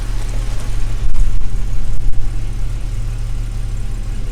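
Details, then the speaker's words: 1978 Jaguar XJ6 Series 2 barn find, no choke, airbox not fitted, after running about 10 minutes with temperature just rising: a smooth rumble ticking over at about 700 rpm, perhaps slightly too slow. The oil pressure gauge wiring doesn't seem to be set up properly. "also ticking over about 700 RS maybe slightly too slow once to be bit higher"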